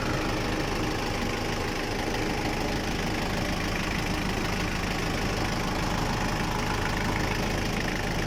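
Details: Diesel engine that had been struggling to start, heard after the repair: a steady, even diesel clatter at idle with no misses or stumbles, settling and running smoothly; normal idle.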